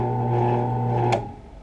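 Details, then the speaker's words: New 10-inch drill press motor running: steady even hum, clean pitch, no rattle unlike the old one, then smooth spin-down; runs normally. "that's what it's supposed to sound like not that rattle rattle rattle rattle rattle"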